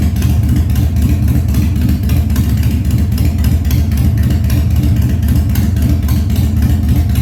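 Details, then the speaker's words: 1997 Harley-Davidson Fat Boy, carbureted, after carb cleaning, loose carb cables fixed, new plugs and battery; cold start on choke at 70°F humid, no air cleaner: deep loping potato beat at steady speed, no knocks or ticks; healthy idle. "all right I'd say that she's doing pretty good for not even having an air cleaner on there yet"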